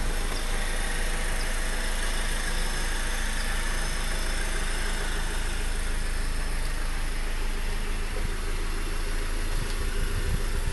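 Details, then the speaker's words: Honda Accord with direct-injection engine and timing chain: muffled, even idle with faint quick clicky ticking from the engine block, diesel-like; normal direct-injection injector ticking at idle. "It's coming from the engine block, it sounds like. Like right there, that's where it's coming from. Sounds like a diesel engine almost."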